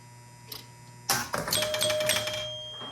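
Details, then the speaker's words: 1977 Gottlieb Bronco pinball machine after readjusting a maladjusted bonus unit disc: sharp switch clack, then quick relay and stepper clicks that settle, with the bell for the 1,000-point bonus; bonus unit advancing and scoring normally. "so that seems to have fixed our bonus unit problems it was just a matter of me being dumb and having the disc uh maladjusted"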